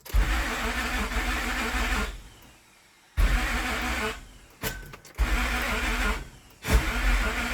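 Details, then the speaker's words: Towed-in Mazda RX-8 with a crank-no-start complaint and no stored codes: short bursts of slow, labored cranking, starter cutting in and out, no firing; dragging crank, with timing or the crank sensor suspected. "But it is dragging simultaneously. That's the biggest thing that concerns me, that dragging noise."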